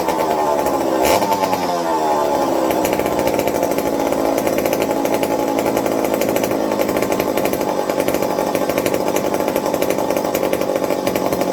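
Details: McCulloch 55 gear-drive chainsaw after fixing fuel starvation with a Scotch-Brite pad tank wick and a 090 carb swap: a steady, even two-stroke buzz holding speed after a brief blip, no missing or surging; running well.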